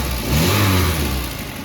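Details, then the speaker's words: VW Golf Mk1 with CIS (K-Jetronic) injection, CO set and idle at about 800 RPM: quick rev rises cleanly and drops straight back to a settled idle with no stumble; owner says it still feels gutless on the road. "Ah yeah, somewhere about there looks to be correct. About 800 RPM is where I like to keep it."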